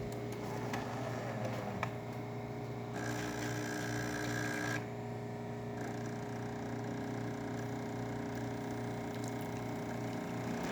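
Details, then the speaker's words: Jura A9 espresso machine test brew, second of two servings: steady, even pump hum with constant low drone and no knocks or surging; pump brewing normally. "As you can hear, now it's going to pour that second one. This should be around 3 ounces of espresso."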